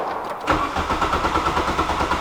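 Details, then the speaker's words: VW Golf just stalled at night: steady rhythmic cranking, engine never fires; cause suspected around the carburetor, unconfirmed. "let's see someone trying to start it by itself cars dead just try and simply start it"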